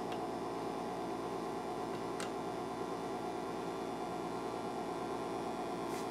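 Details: Late-1950s Admiral 329 tube record player (117 V, 60 Hz) brought up slowly on a variac, drawing 20 W, B+ dropping: steady low hum with faint hiss from the speaker as tubes warm; cause not pinned down.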